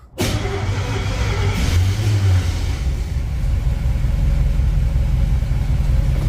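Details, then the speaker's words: 1959 Chevy El Camino, off the road 29 years with overhauled mechanicals. The driveline was dropped and the carrier bearing repositioned and bolted into the crossmember. Backing out, the engine settles into a low, even rumble with no clunk, whine or grind; driveline normal. "All right, she didn't make any noise backing out, so I'm pretty sure that fixed it."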